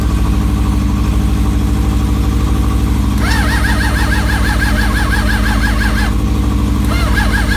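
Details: Suzuki GSX600F with a cold-start problem, battery charged from another bike: long cranking with rapid uneven chug and starter whine, never catches; carburetors soaking wet, owner suspects flooding with too much fuel.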